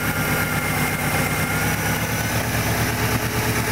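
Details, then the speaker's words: Subaru with 243,051 miles and a lightweight crank pulley: an uneven idle with a light, loose knock about three a second that rises and falls with revs and is absent when only cranking; owner suspects piston slap, unconfirmed. "what happened is um it ran but there's like this knocking sound but as I just crank the motor I don't hear um the sound"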